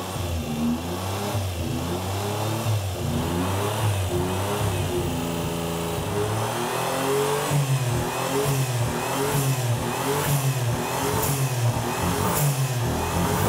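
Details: Car sat for years on a farm (possibly under water), first proper run after clutch, machined flywheel and transmission refit; revs up and down unevenly with a lumpy, stumbling beat, kind of runs but not cleanly; coolant leaks also found.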